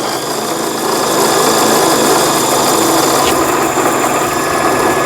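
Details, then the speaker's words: Brother Prince 15 sewing machine, stored broken about ten years and now repaired with a replaced spool pin: bobbin winding with the needle stationary, a smooth even motor hum with light steady ticking about four per second; normal. "그러면은 보시는 것 같이 바늘을 움직이지 않고 북토리, 보빙이라 그러죠. 보빙만 왔다 갔다 하면서 북실을 감고 있는 이런 모양을 보실 수가 있습니다."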